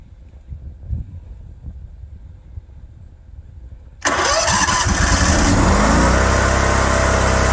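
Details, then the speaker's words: Generator with battery tender, started in Texas cold after failed tries, catches and settles into steady even idle with regular beat; normal generator idle. "idle. So it should idle. There we go. Okay, let it run for a while."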